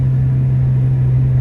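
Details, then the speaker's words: Honda Civic EK hatch B18C1, driving after a misfire and rough-idle fix with a donor part: steady, even low drone with no stumble or skipping, firing cleanly; back to smooth. Owner suspects a leaking distributor O-ring; catalytic converter defective. "This looks, sounds, and feels amazing. It's back to smooth."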